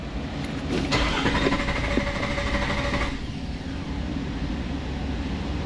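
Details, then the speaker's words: Nissan Xterra with P0336 crankshaft position sensor code: steady starter cranking at about three turns a second with no catch or firing; cranks but won't start, crank sensor suspected, not confirmed. "Crank No Start Nissan, Can we get it to Start?"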